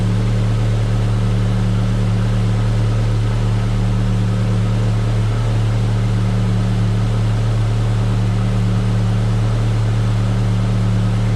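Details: Car idling after the faulty alternator was removed and refitted: smooth, even idle with a steady low hum and no knocks or squeals.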